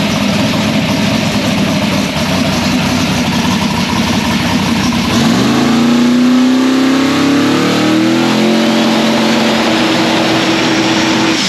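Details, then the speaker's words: Drag race Nova engine started: V8 catches quickly, revs briefly, settles into a strong steady idle with no knocks or misses; sounds good. "all right so roswell's back in the car spoiled her up sounds good yeah came up nice and quick"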